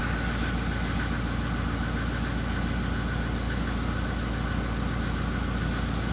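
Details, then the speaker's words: SsangYong Musso after replacing the engine coolant temperature sensor, which had caused lost cold idle: cold start, idle rises to about 1000 rpm and holds steady without stumbling or stalling; normal cold idle. "так вот обороты поднялись тысячи сейчас на холодную даже не глохнет"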